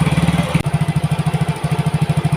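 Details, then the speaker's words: Yamaha Mio GT fuel-injected scooter before injector replacement, throttle held since it stalls when released: fast popping exhaust beat about eight per second with a brief stumble; dirty injector, intake pressure 33, mixture trim 24.8%. "Nah, ini posisi saya itu sambil menarik gas ya, karena ini kalau dilepas si motor ini akan mati."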